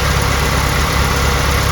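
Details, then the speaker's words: Engine with newly installed timing chain, after fixing noise blamed on a tiny roll pin against the tensioner bracket: smooth, even idle with a steady low hum, no ticking or rattle from the engine front; sounds as it should. "just by driving it seems all quiet in here and quite quiet out here well all be that's fantastic news I was quite nervous about this that's the way it should sound"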